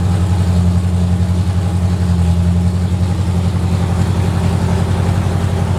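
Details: 1970 Corvette with freshly rebuilt V8 (AFR heads, Clay Smith cam, Johnston hydraulic roller lifters, Harland Sharp 1.5 rockers, new headers), first run after six months: deep even idle with steady lumpy cam rhythm, no ticking or knocking; normal idle.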